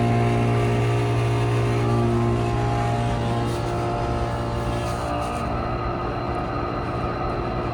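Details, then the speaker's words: Newly modernized 1991 Otis Series 1 hydraulic scenic elevator, recorded inside the cab during a ride with the cab fan off; a constant loud droning hum as the hydraulic pipe is so loud it makes the car vibrate. "The pipe's so loud it makes it vibrate."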